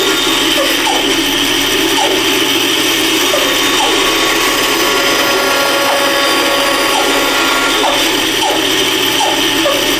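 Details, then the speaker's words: Router with a bearing-guided bit cutting a wooden Christmas tree candle holder: steady high-pitched motor whine with a light rubbing hiss along the cut. Just the pilot bearing touching the wood, normal. "That's that noise you hear is them bearing touching. That's what they do."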